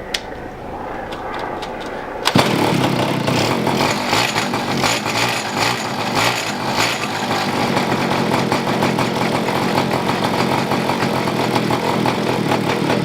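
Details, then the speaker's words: Neglected two-stroke pocket bike being revived, pull-started after priming with carburetor fuel mixture turned richer: short buzzy pulls, then a sudden catch into a ragged, uneven buzz; stalling because the choke was pulled off too soon. "It sounds like it's not getting enough gas. There we go. Pulled that choke out too soon."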